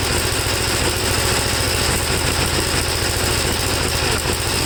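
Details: 1954 Gravely single-cylinder tractor with second cleaned carburetor, started without choke: loud, ragged, uneven idle with no clean rhythm; owner thinks it seems flooded and runs rich, stalling when leaned, same as before.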